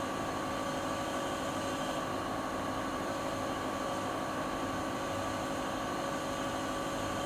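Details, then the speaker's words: Siemens iQ300 front-load washing machine (title WG41A1X1TR, 9 kg, 1000 rpm), spin-only program at top speed, rated 72 dB on spin; steady high-speed whirring hum with a faint constant tone, no thumping, scraping or wobble. Not fully silent, but a normal spin. "Fakat şöyle söyleyeyim, makine sıfır sessiz değil."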